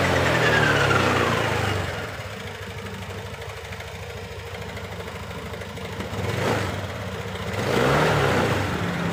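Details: Honda Beat LED Deluxe scooter that had been stalling with a stored code 7 (EOT sensor), after clearing the DTC and restarting: it revs up and settles to an even idle with no misses. A loose EOT socket is suspected.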